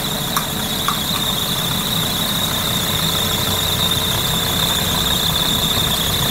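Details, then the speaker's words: Idling engine after driving through water or in damp weather: a steady high-pitched squeal from the accessory drive, belt or rollers, possibly the alternator pulley. Owner sprays the belt as a quick fix; cause not confirmed. "после езды по воде или в сырую погоду часто скрипы идет спад ремня роликов там и и тому подобное"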